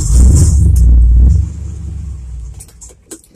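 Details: Cold start of 1978 Chevrolet C10 Stepside truck with 307/350 from a 1971 Nova, sitting unused in garage a while: deep V8 catches, blips through throttle pumps, then rough but steady cold idle; normal cold start.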